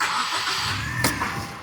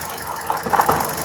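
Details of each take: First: Petrol engine with a flashing check-engine light and misfire, after replacing the faulty ignition coil: it catches and settles into an even, steady idle with no shaking. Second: Car with check-engine light flashing and rough running: uneven idle with irregular stumbling pulses; swapping coil 4 into cylinder 3 moved the misfire, so that ignition coil is faulty and needs replacing.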